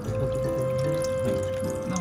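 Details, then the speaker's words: Kitchen sink drain after thorough cleaning, flushed at heavy flow; it had gurgled when draining for about a month, blamed on dirt buildup in the pipe. Water now runs away steadily with no gurgling; the drain flows freely. "là sau khi làm sạch. Chúng tôi không thể nghe thấy âm thanh lạ. Có thể tiếng ồn này là do bụi bẩn."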